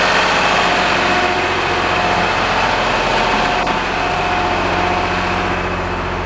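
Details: Lister HR3 diesel generator set, cold start, running on diesel with an option to mix in used oil, smokes until warm, holding 60 Hz: steady, even diesel clatter at constant speed with a firm low thump, no misses or knocks; healthy.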